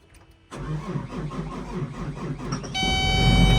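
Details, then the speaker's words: Excavator left sitting for months, jumped with 24 volts: strong steady cranking, then the diesel catches and settles into a firm, even run; a healthy start. "Yeah, there we go. Excavator's fired up."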